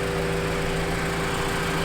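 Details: Honda CRX, warm idle with air bubbles purging from coolant: smooth, even low hum, no whine, grinding or knocking; water pump judged good, hoses getting hot, normal.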